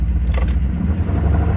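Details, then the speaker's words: Square-body Chevy dually with big-block 454 V8, driving slowly around the block with good oil pressure: deep steady knocking under the rumble, keeping time with engine speed; worn connecting rod bearing. Rod knock. "There's the knock. I was gonna say, not only did they send me the video where it had like 60 PSI oil pressure, but it also wasn't knocking. It's 100% knocking."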